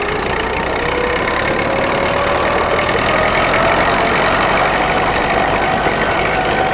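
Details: Rebuilt Ford tractor pulling in high gear on the driveway: steady drone with slowly rising tone under load, no knocks or misses; burns clean after the rebuild.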